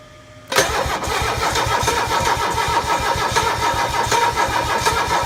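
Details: Mercedes OM617 diesel that won't start right after new glow plugs were installed: quick, even starter chugging at about four to five compression beats a second with no firing or pickup. Crank, no start.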